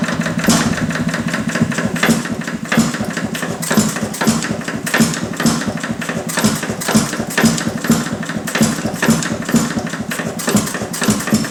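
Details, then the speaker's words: Detroit Engine Works 2HP old engine after repair, full ignition advance, light load applied with rag on pulley; steady even exhaust thumps about two per second hold pace as governor comes in, healthy. "Governor comes in."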